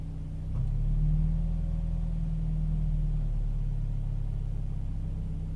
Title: Toyota 86 rough idle